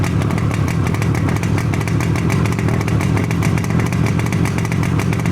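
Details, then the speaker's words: Yamaha RD250D two-stroke twin, first start in 45 years, just off choke: a crisp, even buzz at steady idle with no misses, crisp on throttle blips. Normal idle. "if we take this, you can hear the wonderful sound of the two-stroke RD250. Correct. I'm no fan of two strokes, but that's me. I know you. Sounds nice and crisp when you flip the throttle as well."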